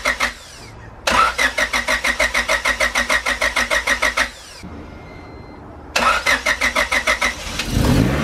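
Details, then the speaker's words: Joe's car with new turbo kit, first start after fabrication, engine primed by cranking without injectors or spark to cycle oil: rapid even cranking, a pause, more cranking, then it catches; healthy first start, sounds good. "made some major progress on joe's car today it sounds good"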